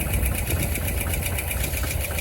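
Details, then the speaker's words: 1961 Chevy camper engine just reinstalled, first fire-up with 4 quarts of oil, about 70 psi oil pressure on aftermarket gauge: light ticking about six per second over rough idle, no knocking; lifter tick owner suspects is from sitting and will pump up. "Well, it's got a little lifter tick, but that might be from sitting for a long time."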